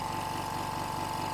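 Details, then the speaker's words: Hyundai SAC 55751 silent (59 dB) compressor filling tank toward 8 bar cut-off, about a minute: smooth even hum with a fine steady beat and constant faint whine, no knocks or rattles; filling normally. "it takes about I think you can hear me normally now hopefully despite the compressor working and uh it takes about 1 minute for it to completely fill up the pressure"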